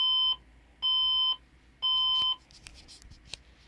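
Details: PC that won't boot gives three long, even high beeps about a second apart, then silence: a POST error beep code. Owner plans a new motherboard.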